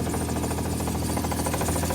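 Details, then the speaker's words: Hyundai engine with a knock, idling about five minutes after Lucas oil stabilizer was added to the crankcase. A dull knock stays the same with no change after the additive. "same sound nothing changed"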